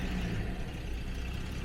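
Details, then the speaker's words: 1977 Jaguar XJ12 V12 restarting after roadside breakdown, air filters off, spare richer ECU fitted: low, slightly uneven idle with deep steady rumble, no knocks; ignition timing only roughly set, so idle sits low. "And the low idle, timing is not correct, but let's have a look."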